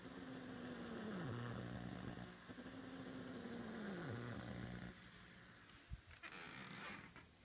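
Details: Buzzing hum over the stereo speakers while a Sofia tube tester on a variac at 128 V curves a dual triode on plate and screen supply, fast mode. Drops in pitch and repeats about every 1.5 s with each sweep; absent with plate supply only. Interference noise.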